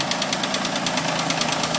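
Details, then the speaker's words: Mitsubishi Eclipse just after cold start, idling in garage and revved: fast, even clank about nine times a second over idle, suspected lifter tick or hydraulic tensioner, unconfirmed; noise sometimes goes away. "figure out what is making that annoying clank. Like I said, it goes away sometimes, but thanks in advance."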